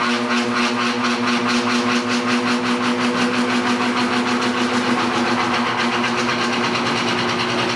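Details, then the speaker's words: 1960s General Electric five-blade fan with single-bearing motor, at startup: a steady hum carrying a fast, even buzzing rattle a few times a second, like a small diesel; typical GE loose motor winding sound. "just has that typical GE uh loose winding sound when you first started up"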